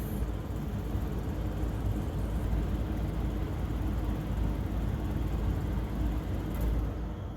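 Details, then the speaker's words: Carrier furnace with code 23 after pressure switch replacement, during the startup purge: steady, even low rush of air from the top squirrel-cage blower with no rubbing, squeal or rattle; normal blower fan run. "you can hear the fan up here in the top has started"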